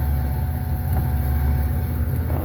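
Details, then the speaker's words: 2005 Pontiac Aztek AWD in gear, AWD disengaged, listened to at the rear gearbox, which has fluid: heavy steady low rumble with an uneven thump as the driveline turns; owner suspects the rear gearbox is blowing out, unconfirmed. "Um, then I come back here and listen to this thumping. I think this rear gearbox is [ __ ]"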